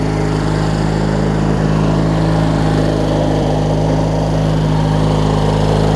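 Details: Craftsman LT1000 rider, opposed-twin engine, blades engaged with the deck strapped to watch the belt: loud, steady drone at constant speed with no knocks, slapping or belt squeal. It sounds healthy, though the belt shows possible excessive wear.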